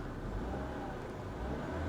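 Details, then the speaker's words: 2008 Cadillac DTS with vandalized body: smooth engine note holds steady then builds a little with throttle, no knocking or rattles; engine sounds healthy, normal revving. "Engine-wise, she's perfect. Mikey liked this car."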